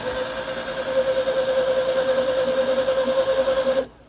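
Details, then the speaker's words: Rare rear-engined Skoda barn find cranking evenly about three beats a second for four seconds, never firing; strong spark but no fuel coming through, tank contents unknown, mechanical fuel pump suspected of dying. "And you got no fuel coming through as although we don't know if there was any fuel in the fuel tank, but that's true."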